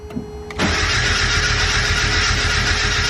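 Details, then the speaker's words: Turbocharged Mazda Miata on a Speedy EFI ECU, cold start retry: about two and a half seconds of steady cranking with no firing; cranks but won't start, fuel pump delayed after key-on; owner thinks the barely tuned setup may be the cause. "but i don't know how that stuff works with how they have the speedy efi stuff set up but this is a cold start crank try it again"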